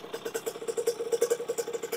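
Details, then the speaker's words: 2001 KTM 50SX two-stroke, upgraded carb with air filter intake refitted: crisp quick rev blips, clean steady buzz, no bogging or stumbling, not smoking; running better than ever. "oh my God that was better than it's ever been guys without a doubt"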